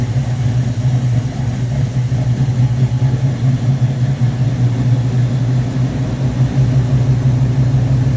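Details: Carbureted V8 on first start with a rebuilt Rochester Quadrajet 7029202 from a 1969 Corvette, bowl damaged by ethanol fuel and cleaned: steady even low rumble settling smoothly, no misses or stumbles; normal idle.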